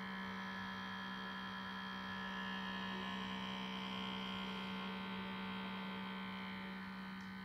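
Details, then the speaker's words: Computer making an odd mechanical, motor-like noise: a steady low electric hum with a few high whining tones that never changes. The source is unclear; the speaker says unmaintained computers become slow and noisy. "donc votre PC fait comme il fait comme la voiture côté le bruit de mon ordinateur et garder il fait un bruit bizarre un bruit de moteur"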